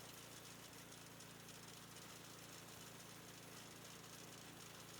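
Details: Old roadside-found snowblower, small single-cylinder engine started with choke on, throttle up and primed; fast steady chugging beat, even drone, no misses; normal running.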